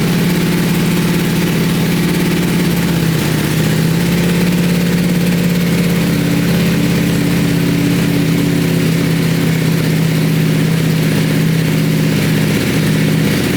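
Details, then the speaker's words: Wrecked 2020 Ducati Panigale V4S with full Akrapovic exhaust, on first start: loud, deep, steady idle with an even drone and a slight rise partway; smooth, healthy running with no knocks or misses. "damn that pipe sounds awesome that pipe sounds Wicked um I've never actually had a bike with a full Acro system on it so uh damn that is loud man that's that's a loud loud bike"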